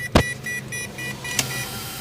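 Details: Chevrolet Corsa Classic with turn signal on: signal clicks with thin pulsing electrical buzz from the instrument panel over low engine hum; other side signal works fine; cause unknown.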